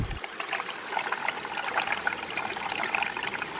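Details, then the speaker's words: Micro hydro penstock with new barb fittings, filling for a pressure test: light trickling and gurgling as water rushes past a joint. Likely a high spot filling rather than a leak; no leak hiss is heard. "but we should probably give it a moment to fill up i can hear water rushing by at this joint"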